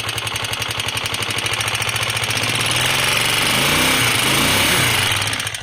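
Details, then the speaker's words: DM 125 single-cylinder motorcycle at idle just after starting: a loud, hard knock about four times a second; owner thought tappets, but it was too loud for tappets and was traced to a worn piston slapping. "tenemos una moto DM 125 la cual Al momento de encenderla presenta un ruido muy fuerte"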